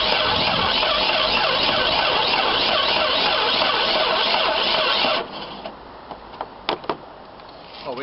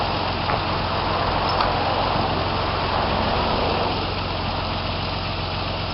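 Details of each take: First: 1995–96 Jeep Cherokee XJ 4.0 petrol (UK) during immobiliser/alarm bypass: steady fast starter churning about four turns a second for five seconds, never firing; cranks but no start; owner suspects fuel pump not working, under the rear near the tank. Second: 1995-96 Jeep Cherokee XJ 4.0 petrol (UK Limited), running after the immobiliser and alarm bypass: steady, even idle with a smooth low rumble, no knocks, misses or hunting; idling normally.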